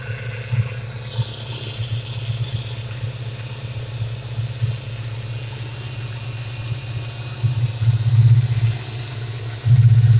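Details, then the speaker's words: 1995 Mustang GTS V8, engine bay, after replacing the faulty idle air control valve that caused erratic idle: deep, even burble holding steady idle with no hunting or surging, a couple of brief louder swells; normal idle. "She's purring now. I'm gonna step back away and talk about it. The car runs great. I changed the idle air control. It's very steady."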